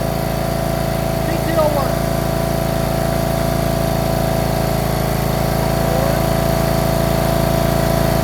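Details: John Deere RX75 rear-engine riding mower, first start after ignition switch replacement and reassembly, choked, in neutral: steady, even idle with constant low drone, no misses or knocks; normal idle, running well.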